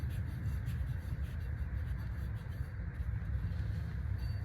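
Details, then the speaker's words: 1998 Buick Park Avenue rear wheel after the hub assembly/wheel bearing was replaced, the old one being definitely bad: quiet, smooth low hum as the wheel spins, no grinding or growl; normal wheel bearing. "there's a big difference now there's no noise getting a little bit a little bit closer as you see there's really no there's no noise no"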